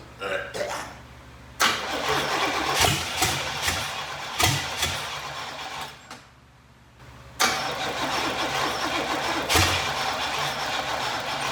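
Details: 1990 454 SS truck during rebuild: the starter grinds in bursts and the engine catches and stumbles briefly but never settles into a run. Cranks but won't start; cause not yet found.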